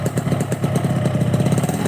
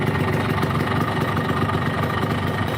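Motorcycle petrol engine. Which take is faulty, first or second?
second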